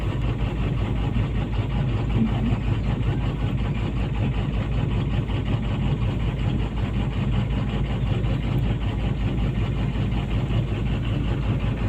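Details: PC200-8 with a crank/no-start complaint blamed on a defective common-rail pressure sensor (no rail pressure); here a steady low diesel rumble at an even idle, no misses or knocks, holding constant and healthy.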